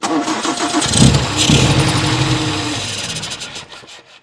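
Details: 1960 Triumph TR3 that cranks but won't start, key on and out of gear: starter churns, the engine fires on solvent spray, runs roughly a second or two, then dies; fuel starvation, float bowl not empty.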